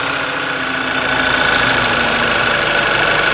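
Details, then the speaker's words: 2011 VW Tiguan with a history of random misfires (P0300) and several parts already replaced. The idle is even and steady, with a smooth hum, light valvetrain tick and no misses or stumbles. Idle quality is good, ready for a road test. "Idle quality is good. So we're going to take it for a road test."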